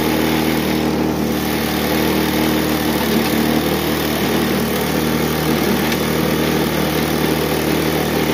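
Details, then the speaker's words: Bluebird belt-driven aerator engine after its clogged carburetor was cleaned and refitted: a steady, even single-cylinder buzz for several seconds without surging or dying. It now runs on its own power. "It runs on its own power. Sweet. Okay. Well, it runs."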